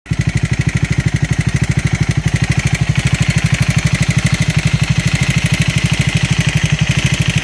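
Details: Triumph Scrambler 400X / Speed 400 single-cylinder at idle, near three firing pulses a second with a raspy metallic edge on top; abnormal engine noise, cause not pinned down.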